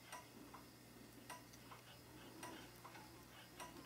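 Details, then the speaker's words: A 1972 K25 truck during wiring harness tests: slow, even flasher clicks about fifty a minute over a quiet hum. Checking a connection does not change the rate. "I'm not seeing it change and you can probably hear the ticker not ticking any different"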